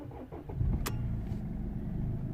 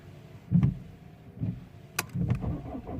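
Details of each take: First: 2007 Mercedes W203 C220 CDI diesel, cold day, after repairing P2511 fault (engine light, limp mode capped at 3000 rpm) and clearing codes: short crank, quick catch, low even idle; starts and runs normally, engine light gone. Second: 2007 Mercedes W203 C220 CDI diesel with engine light on, code P2511, not revving above 3000 rpm, started cold after sitting about three weeks: cranking, then uneven stumbling firing settling into a lumpy idle (rough cold start).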